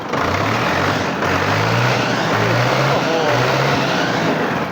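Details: Ford 5000 77 T5 farm tractor diesel, original condition: even clatter that revs up and drops back quickly on the throttle with no knocks or misses; healthy engine.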